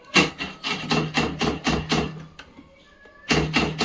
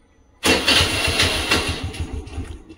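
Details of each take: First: Honda Activa scooter whose self-start gives only a rapid tik-tik clicking with a faint buzz and no cranking; the battery is said not to be at fault. This is a chattering self-start relay. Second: Honda Activa scooter with self-start tik-tik problem, starter relay removed and its carbon-blackened contact points bridged by hand: brief crank, then engine catches cleanly and runs; relay contacts sparking apart blamed.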